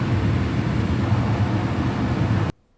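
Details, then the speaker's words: Carrier HVAC blower after rattling repair, cage refitted: even, steady whoosh with low hum, no scraping or rattling, then clean cut-off; normal blower operation restored. "now it's working like a charm again [Music] no sound no nothing we're back in business"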